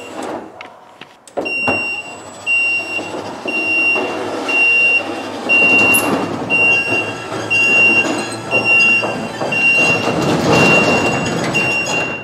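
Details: Slim Glide ET30 roller door opener after raising Safety Reverse Force setting to cure beeping stops, running its post-setup test cycle: motor hums smoothly through travel with a regular high beep about once a second; normal cycle.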